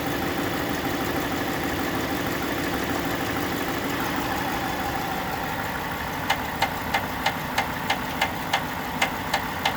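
Engine runs steady, then a sharp, even tick comes in at roughly three per second over the idle, a clear knock of unknown origin.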